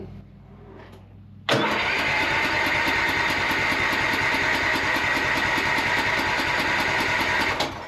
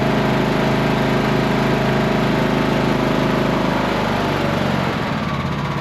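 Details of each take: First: Cub Cadet lawn tractor mower, first start after new starter and repairs: cranks a while, then catches with a loud burst and settles to a rough run; slow to start, owner suspected a fuel or spark issue. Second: Cub Cadet lawn tractor mower after new starter, just past a startup backfire with black smoke that cleared: small single-cylinder engine runs steady and even, no misses; running fine.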